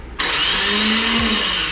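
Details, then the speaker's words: Sucker Punch Sally chopper with its old starter, before replacement. Hollow electric whir that sags in pitch with no compression beats or firing: the weak starter doesn't turn the engine over, as it often fails to. "that's why that's why we're replacing because it does that it doesn't turn over just when you're sitting in a parking lot you're trying to get home that's the worst feeling in the world"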